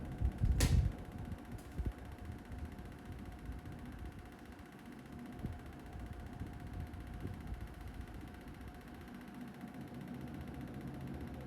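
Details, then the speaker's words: Panasonic split AC CS-EU18AKY5XFM indoor unit, bought November 2024, with a loud "trrrr" whirring and a rough flutter over a faint hum present since day one. A technician said parts need replacing; still unresolved after six months. "आप जो यह आवाज सुन रहे हैं वो Panasonic के AC की आवाज है। जो 6 महीने से मेरी नींद को उड़ा के रख दिया है।"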